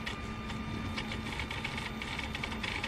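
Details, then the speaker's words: Mercedes SL600 E-gas module tested connected to a car: fast irregular ticking chatter over a steady hum, throttle actuator twitching at certain positions when opened, idle okay; faulty module; throttle actuator chatter. "It keeps jumping. So something's wrong with that unit. Idle seem to be okay. The second I open it, it twitches."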